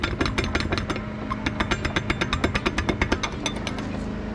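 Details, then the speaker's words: Car exhaust pipe shaken by hand: quick irregular metallic rattles, about three a second, from rivets coming loose at the exhaust joint; to be tig-welded instead of re-riveted. "that is the rivets coming loose and i could just re-rivet it"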